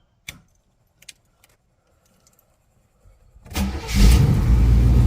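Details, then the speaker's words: 1985 Chevy Caprice Classic wagon, small-block V8: a few key clicks, then a quick crank and clean catch, settling straight into a strong, even run; normal start. "at that there's those small blocks heavies man listen to this thing it's running so damn good"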